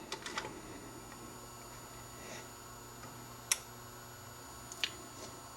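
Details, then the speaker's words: Dual 1219 turntable after fixing a slightly bent part that stopped the motor shutting off: a cluster of crisp mechanism clicks, a low motor hum that dies away, then two clean clicks as the changer parks on stop; it now works properly. "start up automatically and if i want to stop it it'll sit there but there's no there's no tip on the the needle so it's not playing anything"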